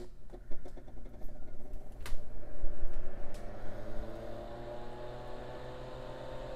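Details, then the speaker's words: Tektronix TM5006 power frame with its original quiet-type 120 V AC cooling fan, before low-noise upgrade; click at switch-on then whirring hum climbing in pitch as it spins up, significant noise too loud for audio bench work. "but the fan is a little bit too loud i'm doing audio work here at the bench so i want to minimize the amount of noise that's happening when i'm running the test equipment"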